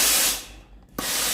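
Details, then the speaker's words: Reassembled Tefal GV9582 steam iron after repair of a failed boiler: loud steam burst, pause, sharp solenoid valve click, then steady hiss. Steam output is normal. "มีเสียงโซลินอยด์วาล์วทำงานปกติไอน้ำออกหน้าเตาปกติ"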